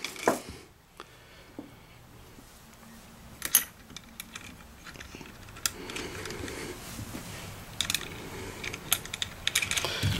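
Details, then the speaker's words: OZ Lifting premium chain hoist reassembled after brake pad maintenance, chain held while the hand wheel turns: sparse, crisp clicks come irregularly; the ratchet pawls engage properly and the hoist is fine. "you want to hold that chain again make sure you hear it clicking"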